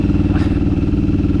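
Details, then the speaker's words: Yamaha V Star 1100 with 700 miles, ridden on the freeway: low-rpm V-twin beat with uneven, dropping pulses, stumbling and skipping; owner suspects a carburetor or fuel issue, possibly fuel filter, not confirmed. "so like right now it's a little skippy but it's still it's not running that great huh it is not you can hear it in that low rpm"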